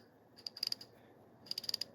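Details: Refurbished Plomb 5249 ratchet, believed over 60–70 years old, after cleaning and reassembly with new screws: two crisp runs of evenly spaced sharp clicks with no grinding; normal, healthy ratchet clicking.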